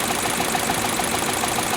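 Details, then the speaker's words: 2012 Chevy Cruze with rough idle since July 1: uneven idle with quick even ticking about seven times a second and heavy engine vibration; owner suspects the PCV valve diaphragm in the camshaft cover, unconfirmed. "this happened starting on July 1st excessive idling a lot of vibration there in the motor and I believe it has something to do with the GCV valve"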